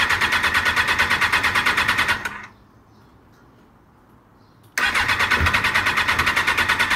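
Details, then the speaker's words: 1996 Suzuki RF900R after tank and fuel system cleaning, choke lubed, fresh fuel: starter chugs steadily about three times a second, pauses, cranks again, never catches; fuel system possibly still empty, fuel pump unchecked; cranks but won't start. "Uh maybe it's system still empty. Doesn't want to pick up. Uh I didn't check the fuel pump. That also could be an issue, but let's give it some help."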